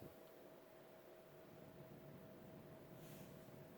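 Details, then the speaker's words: Vintage 1984 FASCO Charleston 2nd-generation 38" ceiling fan, model 438, running high speed in reverse: thin steady high-pitched motor whine over soft air rush, louder than in forward; fan also wobbles. "Definitely hear the high-pitched motor whine now."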